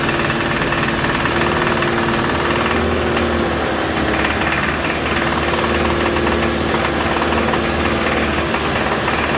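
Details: 2007 Toyota Tacoma 2.7 four-cylinder at raised rpm during injector fuel-cut tests: heavy rapid bottom-end knock, doubling when cylinder 1 cut; teardown found spun connecting rod bearing.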